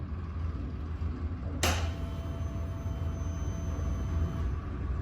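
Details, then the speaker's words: Suzuki Access 125 BS6 scooter at ignition key-on: faint, even whir for about three seconds from the fuel-tank-mounted fuel pump priming fuel to the injector; normal fuel pump priming. "सुनाई दे रहा होगा कि जब भी हम business man करते हैं का व्यवहार जाती है वह आवाज में कि इसके फ्यूल टंकी में लगे फ्यूल पंप से आती है"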